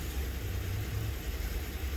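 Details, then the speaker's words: Honda Shadow V-twin motorcycle, first start since being parked in 2019 (carbs had stuck closed, stale fuel, burst battery), about 55–57°F outside: low, steady, even burble with no misses or knocks, a normal idle. "I feel good though. I got it starting, and she's idling."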